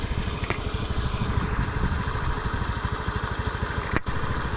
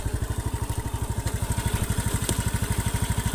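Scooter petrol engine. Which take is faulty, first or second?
second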